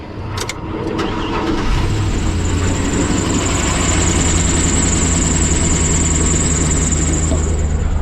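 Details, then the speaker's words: Isuzu NPR truck, customer says engine seems noisy, oil changes neglected and oil possibly low: cranks, catches, steady idle with thin high belt squeal and light rattling valve train at the top end. "I hear belts and I hear some rattling valve train, so I'm gonna go ahead and pull it up to the shop."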